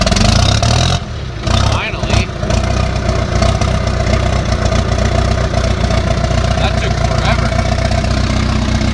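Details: John Deere 450C crawler diesel, cold start at 58°F after about 20 seconds of cranking on a jump start: it catches after a brief stumble and settles into a heavy, uneven low clatter; bad injector.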